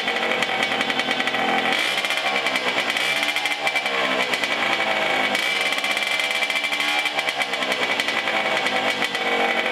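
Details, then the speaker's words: Cagiva Freccia C12R two-stroke, first restart after engine rebuild with a little choke: crackling revs rise and hang, falling slowly with a high whistle; revs slow to drop, cause not yet confirmed. "Alors, j'ai trouvé qu'elle collait un petit peu dans les tours, c'est-à-dire qu'elle mettait un petit peu de temps à redescendre en régime"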